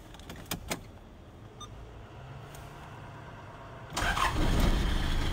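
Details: 1991 Toyota Hilux 2.8 diesel: quiet for a few seconds, then it catches almost at once and settles into a steady, even diesel clatter. Normal quick start.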